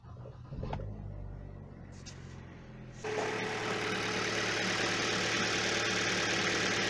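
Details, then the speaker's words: Hyundai Solaris/Kia Rio 1.4/1.6 after replacing accessory drive belt, tensioner and idler pulley bearings: engine cranks, catches and settles into an even idle with no whistle; before, the worn tensioner pulley whistled on cold starts. "вот противного этого свиста нет на обычно на холодную сразу начинал подсвистывать ролик на натяжителе был под убиты"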